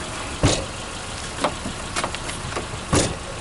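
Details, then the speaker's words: Car door knocks with several loose, sharp thumps on each closing over an idling engine; the door doesn't close tightly, suspected from worn bushings or a worn lock latch, with tape as a temporary fix. "она большинство и разбивать стук при каждом закрывание двери"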